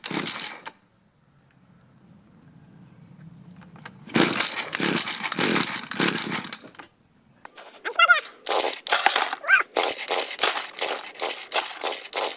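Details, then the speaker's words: Mantis mini tiller 2-stroke, half choke, low-speed screw turned out half a turn: brief cough, then catches and buzzes unevenly through throttle blips; starts and runs. "I think I recall this low side was set at 2 and I turned it in a half a turn. So I'm going to turn it out a half a turn and see if that'll help."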